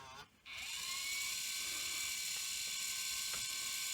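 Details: Sony EV-S700 UK Video8 deck in playback: steady high-pitched capstan motor whine with faint ticks, running far too fast. No FG signal is measured at the board (expected a 5 V square wave), suggesting missing speed feedback; capstan overspeed.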